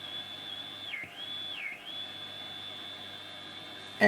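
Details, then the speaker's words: Philips 101-CZ valve radio (circa 1947-48), volume full: a thin high whistle holds steady, then bends down twice as the valve (possibly the painted detector valve) is touched; the radio passed only static, and the fault was finally traced to a dirty valve socket. "I don't know if you can hear it I'm just touching the uh the valve"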